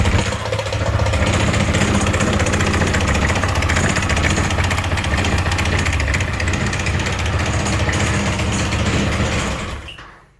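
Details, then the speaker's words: 2016 Piaggio MP3 500 scooter that a Dutch service center, after checking the timing, failed to fix. Hard, rapid knocking about 3–4 per second rides over the idle; severe engine knock, cause not yet found. "Co się dzieje Zobaczcie silnik strasznie stuka uruchomimy silnik"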